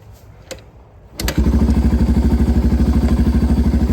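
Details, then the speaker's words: Restored 1985 Yamaha BW200 Big Wheel single started nearly cold straight from the workshop with no throttle; short crank, catches at once and settles to an even, steady thump of about three beats a second. "Starts right up, don't even have to give it any throttle. And that's pretty much cold."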